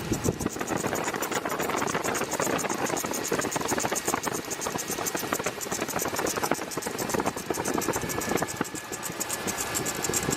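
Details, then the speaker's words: 2002 Chevy S-10 Xtreme running, engine bay: steady rough hiss down low like the A/C or fans blowing though they're off; owner believes the rusty idler pulley and tensioner pulley are the cause, before replacing them and the belt. Accessory drive whooshing noise. "and I kind of hear a little bit down below it sounds like the air is on or like something's going on the fans are blowing that's what it sounds like but it's not and what I believe I believe it's the pulley and the"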